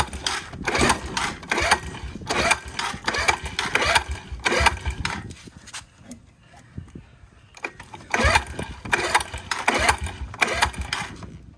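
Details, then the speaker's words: 2017 Suzuki QuadSport Z90 90cc four-stroke ATV, sat for some time, choke pulled, before carb clean and new spark plug; uneven bursts that catch, stumble and die, no steady idle; hard starting, owner suspects carburetor. "sounds like a carburetor problem um so if you pull the choke pull the choke and she should be running just a little bit but um has a hard issue of like idling and stuff like that"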